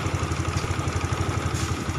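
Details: Honda Supra X 125 fuel-injected motorcycle, hard starting fixed by raising fuel pump pressure (reading about 320): steady even low putter at idle, about ten beats a second, no misses; normal.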